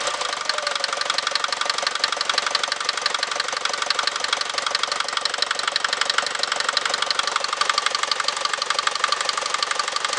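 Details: Mercedes Vito 110D with 2.3 TD OM601 diesel at idle: sharp, even knock about three times a second over the idle; internal engine knock, cause not yet known.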